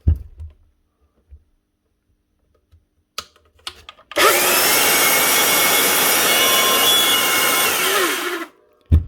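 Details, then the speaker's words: Makita 9402 belt sander before repair, previously running rough and squealing, cable broken; spins up to a loud, harsh, rattly whir, sounding like a bearing gone, possibly motor or bronze bushings/belt pulleys. "Something's making noise. Right. First off, going to need a new cable anyway. That's all broken. Second off, it sounds like there's a bearing gone somewhere."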